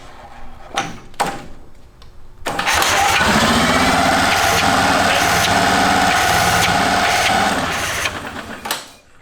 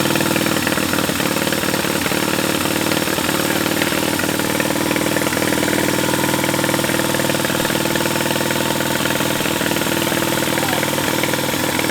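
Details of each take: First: Military-surplus twin-cylinder engine, supercharged: short crank bursts, then a brief uneven run with a higher whirr that fades and stops. It starts but won't keep running; lost spark is suspected from the bad-looking magneto coil, not confirmed. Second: Large military-surplus twin-cylinder engine, running after a critter's nest was blown out of the intake port: steady, even idle with a firm regular beat, no misses, knocks or smoke; sounds good.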